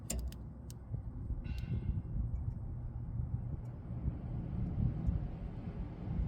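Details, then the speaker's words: Furnace reported as noisy, blower started by jumping the green 24 V fan wire: a few clicks at start, then a quiet steady low hum with no rubbing, rattling or squeal; normal blower, complaint later traced to a grille. "el abanico prende el ventilador prende automáticamente no oo nada fuera lo normal de verdad no oigo nada no escucho nada que sea b"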